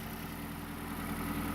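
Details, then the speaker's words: 2008 MazdaSpeed3 GT after swapping in a replacement turbocharger: fired right up and idles steady and quiet with no ticks or rattles. Still smoking a little, which the owner thinks is condensation. "and start it and so far seems okay it started no idling problems but smoking a little bit still"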